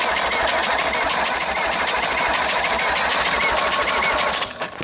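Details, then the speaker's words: Mercedes diesel being fitted as a trailer-mounted power unit, transmission spun over unloaded, possibly in fifth gear: a fast, uneven metallic rattle about three per second over the engine. Suspected gear backlash, expected to ease under load. "i think that backlash is what we're hearing a lot of backlash in it yeah i think the backlash i don't think it'll do that once we get it uh running"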